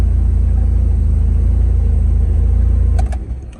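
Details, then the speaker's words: Starion/Conquest G54B, after new spark plugs and ECU tuned by laptop: deep even idle with steady low pulse about four beats a second, no misses or knocks, then shut off. "and once i did the spark plugs she actually uh cranked up and was normal"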